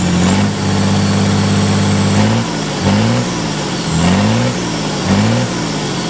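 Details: Ford 5000 tractor with a swapped-in Ford Brazilian 7.8 six-cylinder turbo diesel, early run after first fire-up, long-sat engine burning off water vapor: revs blipped about once a second, smooth and even between blips; engine healthy.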